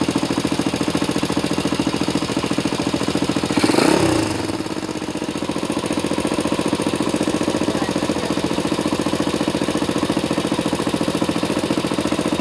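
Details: Engine with faults: loud, steady knocking at about three and a half beats per second over a rough idle; hard mechanical knock, cause unknown.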